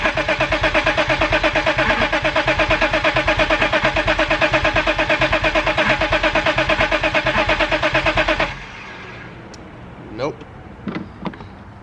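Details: BMW E34 525i, German import with blower-motor fire damage, long sitting, cranked with the jump box connected at the junction box: steady starter cranking about three turns a second for eight seconds without firing; no start, checking fuses including fuel pump next.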